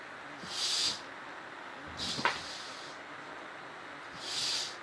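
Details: Cheap AliExpress butane torch lighter: three short, even hisses under a second each with a clean high-pitched rush and no sputter; the flame burns normally.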